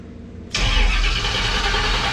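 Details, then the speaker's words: Customer's Camaro with a new Powermaster starter, new American Racing headers and X-pipe: the starter engages cleanly and spins the engine over briskly and evenly with a steady run; the starter sounds good. "All right, so the starter sounds good. It engages good, spins the motor over nicely."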